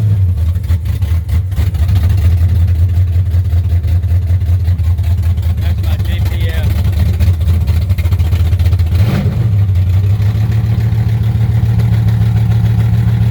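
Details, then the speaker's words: 1963 Chevrolet Impala 468 big-block V8 with 632-lift cam, first start of the year, no exhaust fitted yet (Flowmasters planned): very loud raw choppy idle with a quick blip near the end from open headers; open exhaust. "Gonna get the exhaust put on it real soon so it won't be making all this noise."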